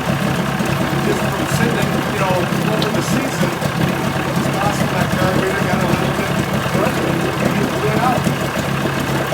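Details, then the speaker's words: 1980 Chrysler 45 hp outboard (Starcraft boat) brought in for crank-no-start after coil packs replaced and points found faulty earlier; with new L82C plugs it started and settles into a steady, even idle, no misses or knocks. Owner likely skipped the fast-idle warm-up lever. "so wow you know i almost wish there was something wrong with it"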